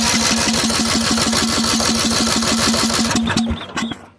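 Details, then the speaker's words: Old lawn tractor (from scrap) after starter cleaned up and reinstalled; ignition switch taken out of the equation, fusible link/fuse had been bad; engine had been locked up; starter spins freely with steady quick even whirring chatter, about four beats a second, cutting off cleanly. "she spins over a little"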